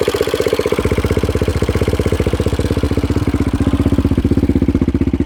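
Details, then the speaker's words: 2016 Yamaha Raptor 700 SE single, 11.1 compression piston and Hot Cam stage 3, idling with mic close to the valves: fast, even sewing-machine ticking over the thump; loud clinky valve train clatter, checked and judged normal for these. "But I've never had a Raptor before this one, so it's a normal noise. It's kind of loud and clinky, but that's just how they are."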